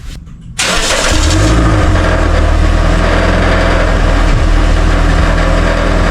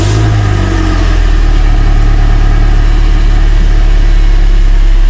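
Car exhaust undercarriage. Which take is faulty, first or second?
first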